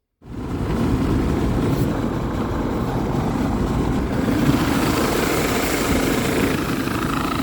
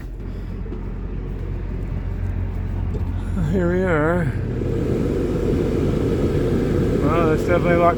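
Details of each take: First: Dometic RV roof A/C unit installed about 6 months earlier, running: loud, rough whooshing drone with a continuous gritty scraping. The blower wheel came loose and sits off-center, rubbing on its plastic housing. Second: Dometic RV rooftop A/C about six months old, after fixing a loose blower wheel, fan on high: a steady low airflow rush with no rubbing or scraping. Normal blower operation after repair.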